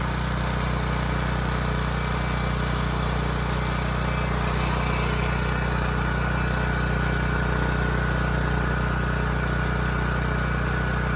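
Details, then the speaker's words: Ridgid generator with Yamaha MZ360 engine, about 10 years old and unused about 4 years, after rusted tank and carburetor work: steady, even drone at governed speed with no misses; hard to start, needed choke; owner suspects vacuum leak from a loose adjustment screw. "All right, it ran pretty good. It was a little hard to start, needed choke at first, but this adjustment screw here was turned out all the way."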